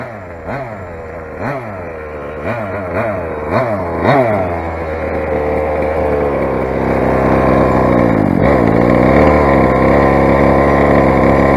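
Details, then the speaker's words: Rovan 45cc big-bore Chinese two-stroke, first run with modified exhaust header and normal pull starter: sharp pull-start surges, then uneven buzzy high revving that wavers; runs poorly, owner blames carb settings being way out. "and that was me just then you think too much you say guys it's quite obviously carb settings are white out"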